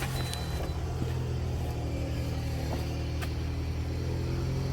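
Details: Toyota with 173,370 miles, towed in after no-start misdiagnosed as fuel pump, check engine light on: just after starting, engine runs low and uneven with lumpy rumble, no misfire pops, typical of flooding; not the fuel pump.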